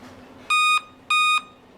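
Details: Dell laptop power-on with sharp high beeps about half a second apart, part of the five-beep error code; cause is CMOS battery failure, repaired by replacing it.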